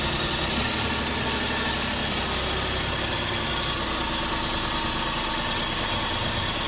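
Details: Suzuki DA64V van, flood-damaged with crank-no-start and water reaching the piston, now repaired: steady, even idle under heavy hiss, no misses or hunting; engine running cleanly.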